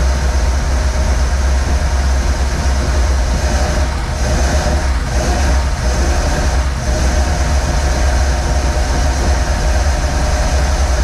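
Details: 1947 Ford cab-over V8 truck, unrun for about 60 years, after starter ground fix: deep, steady rumble at idle with an even beat and no misses or knocks; normal idle.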